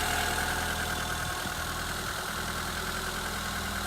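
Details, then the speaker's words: 1993 Peugeot 205 Style with an unmodified 1.1 litre petrol engine, started after five months garaged, with a back box replaced five years ago. The small four idles evenly with a steady low rumble and no knocks or misses: healthy. "so I thought getting new new bakbox on that does sound quite nice they're in"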